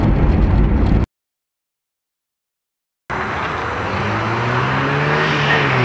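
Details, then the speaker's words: Renault 11 with freed-up Weber 32 DRT carburetor, engine unused 13 years, about 2000 km since, owner suspects stuck piston rings causing hard hot restarts: passing acceleration, smooth rising drone pulling hard without stumbling; still lively. "Bon, comme tu peux voir, elle a toujours la pêche. Elle a de la pêche."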